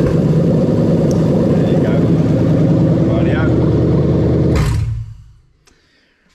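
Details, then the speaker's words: Engine started with starter motor controlled by a Link G4X Xtreme ECU, which cuts cranking above 600 rpm: runs with a steady, even beat and no starter grinding, then winds down cleanly when shut off; normal start. "so you can see we're not getting any sort of starter motor grinding or anything like that clearly because obviously the ecu is seeing 600 rpm and it's actually cutting it off"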